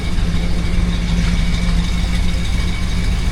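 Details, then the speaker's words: 1978 Dodge Monaco after repairing exhaust leaks at the pipe joints with a replacement piece: even, steady low rumble at idle with no puffing or ticking; no more blowy exhaust, engine sounds healthy. "She's absolutely dialed. No more blowy exhaust."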